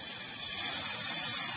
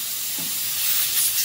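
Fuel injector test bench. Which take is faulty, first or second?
second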